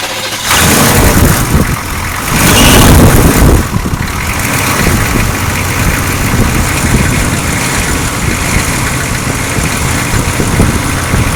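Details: 6.2 diesel Suburban just restarted after installing a freeze-plug 41mm block heater and new alternator and refilling coolant; loud start and brief rev, then steady clatter at about 220 beats a minute; healthy, normal diesel idle.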